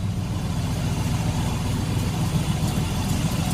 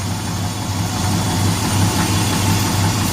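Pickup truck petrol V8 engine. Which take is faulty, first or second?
first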